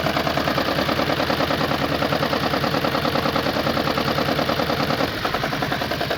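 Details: Hot engine at idle with knock and misfire, code on cylinder 4: steady uneven clatter about three beats a second, lumpy running; injector-unplug test suggests cylinder 4 fuel injector may be dead, not confirmed.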